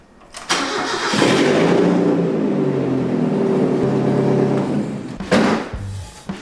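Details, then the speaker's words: Abandoned Mazda Miata rebuild with newly fitted Flying Miata exhaust: engine cranks, catches and idles with a raspy chuff; exhaust leaking from the open O2 sensor hole because the sensor wasn't fitted, fixed by installing it. "Uh the O2 sensor wasn't plugged in, so it's just leaking from that hole."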